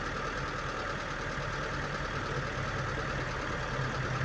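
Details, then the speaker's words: Car engine just started, ISC idle control being checked after a high/racing idle fix: steady, slightly raised idle with even beat, no hunting or surging, RPM rising first; normal fast idle after start. "Karena kalau setiap menghidupkan itu pasti RPM-nya naik dulu langsung turun. Itu normal."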